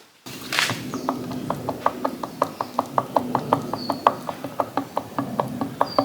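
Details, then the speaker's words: Harley-Davidson Panhead engine during teardown, connecting rod rocked up and down by hand: sharp metallic clacks about three a second from excess rod play as bottom-end big-end bearings start to go. "this has a little bit up and down in it which is not good hear it so that is those bearings in the bottom end starting to go"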